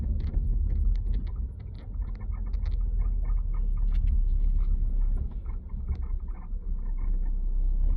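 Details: 2020 BMW M340i interior: short high squeaks several per second over road rumble, only when moving or pushing the car up and down parked, seemingly from behind the seat; source unknown.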